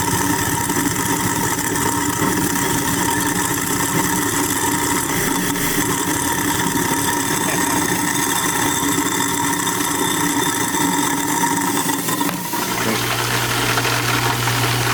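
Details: New InSinkErator Badger 1/2 hp garbage disposal, first run after installation with water running: steady motor hum with even whine, settling to a lower smooth drone; runs cleanly, no rattles, binding or leaks.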